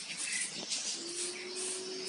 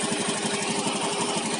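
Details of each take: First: Owner's own automatic scooter with a knocking noise first suspected to be worn rollers, which were fine: steady, quick ticking at start and idle caused by a loose spark plug cap. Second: Scooter idling after repair: even, steady beat with no knocking. A clunk noise, first suspected to be worn rollers, came from a loose, damaged spark plug cap, which was reconnected.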